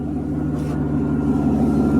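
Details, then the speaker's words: 1992 Mercedes 600SEL V12 at cold idle after start, oxygen sensors removed: smooth, low idle with a thin steady whistle from a vacuum leak at a bad right mass air flow sensor boot, plus mismatched mass air flow sensors. "That's cold start with the vacuum leaks over there and obviously mismatch mass air flows."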